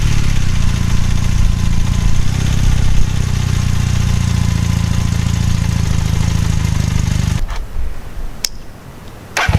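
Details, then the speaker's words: All-original 1981 Honda CM400C twin motorcycle at idle: steady, even low thrum with regular beats, nothing knocking or rattling, then shuts off; normal healthy idle. "ok so before I wrap up the video I'll fire up the engine so you guys can hear it run"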